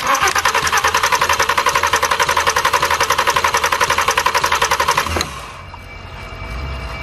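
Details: Totaled VW R32 VR6 with a smashed oil filter housing, being started on starting fluid with the MAP sensor reconnected: steady, fast cranking at roughly 3.5 beats per second that never catches; cranks but won't start.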